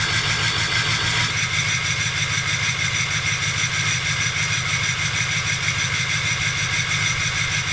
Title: 2005 Ford F350 6.0L Powerstroke START UP and HIGH IDLE Turbo Whistle!